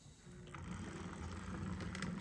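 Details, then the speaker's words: HO scale FUGgERth M41 model locomotive with a can motor, bought working at an eBay auction, before servicing: the motor hums and rattles unevenly, louder as it picks up, rough and dry rather than smooth. Cause suspected, not confirmed. "That's pretty good, but as you can hear, it doesn't really sound great."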